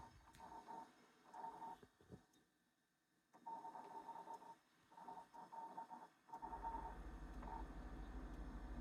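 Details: Jenn-Air high-end French three-door refrigerator with ice maker: short, high chirps in clusters of a few every second over a quiet hum; support calls it expected, cause unknown.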